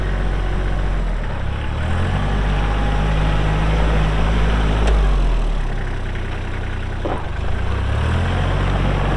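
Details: Kubota L3240 4WD tractor, pre-emissions 32 hp diesel, 94 hours, LA514 loader, gear drive. A steady diesel rumble rises and settles with throttle as the loader works, even and smooth throughout; hydraulics strong, normal running.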